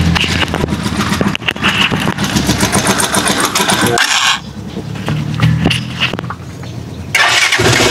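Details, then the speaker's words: Rusi Chariot 175 single-cylinder on ordinary maintenance oil: idle sits low and uneven, sagging and dipping as if about to die; owner links it to the oil, unconfirmed. "Ito yung matay-matay siya, mababa yung motor."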